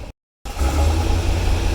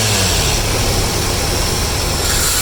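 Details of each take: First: 1982 Chevrolet Corvette with Crossfire fuel injection and cam, cold, coming down from fast idle: deep, lumpy idle that surges and sags, sputtering and barely holding on; rough idle. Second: 1982 Corvette with Crossfire fuel injection after cleaning the injectors; even idle, then two quick blips that rise cleanly and settle without stumble, idle much better, running healthy.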